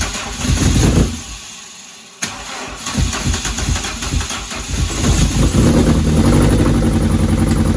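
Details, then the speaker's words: C20XE engine in a Mini, first start after new fuel lines and water system: brief crank, then uneven, lumpy, unsteady idle; owner suspects it's firing on the exhaust stroke and rechecks firing order 1-3-4-2. Rough running, needs tuning. "that sounds to me like it's firing on the exhaust stroke i wonder if i had that right the first time it's one three four two"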